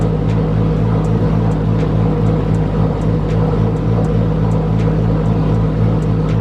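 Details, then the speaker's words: Nissan Skyline turbo engine, first start after rebuild: smooth even idle, turbo sounds good, no odd head noises, but very loud rapid injector ticking; fuel pressure solid, AFRs good, coolant 128°F, oil pressure 5.3 bar. "all right so far so good turbo sounds good no crazy noises in the head but the injectors are super loud"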